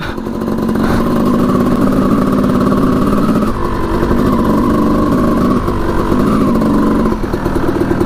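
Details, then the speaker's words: 1989 Honda CR250 two-stroke dirt bike, ridden on icy cold ground: droning at steady revs with the note sagging under load, bogging; owner suspects far too much oil in the fuel mix, which looked very dark, so the plug can't burn it, and plans to drain the fuel. "I think there's just way too much oil in the mixture and that spark plug can't burn it fast enough so I think that's why it's kind of Boggy"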